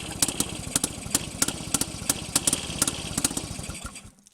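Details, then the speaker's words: Rebuilt Penguin two-stroke engine on a test mount, first start attempts since the rebuild, given a little more fuel, throttle slide checked not sticking: catches and pops unevenly for about four seconds before dying; fires briefly then dies. "well there's one little kick i'll just give it a little more fuel one two three"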